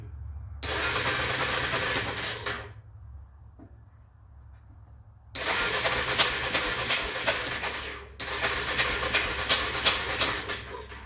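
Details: Yamaha engine that sat outside two years or more, air filter mostly gone, cranks in repeated fast even bursts, about three strokes a second, while fuel substitute is sprayed toward the cylinder. It never fires. Crank-no-start, cause suspected, not confirmed.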